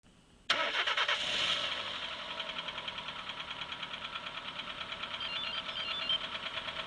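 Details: Engine catches and settles, then a sharp, regular knock taps about three times a second over the idle: engine knock, cause not pinned down.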